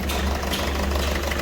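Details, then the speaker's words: Ford Figo diesel at idle: heavy, uneven knocking misfire, won't exceed 2000 rpm or 40 km/h, glow/star light blinking; code P1204, injector circuit open/shorted on one cylinder. "गाड़ी के अंदर missing भी है star light billing कर रही है missing है बहुत ज्यादा"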